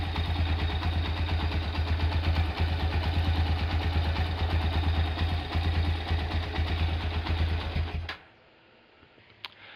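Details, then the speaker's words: Honda Tiger Revo single-cylinder engine idling hot, light even tick from the head about three a second until shutdown; quiet when cold, cause not confirmed. "Ini masalahnya kalau dingin suaranya halus, kalau panas seperti yang kita dengar tadi. Di bagian head ada suara ngelitik sedikit ya."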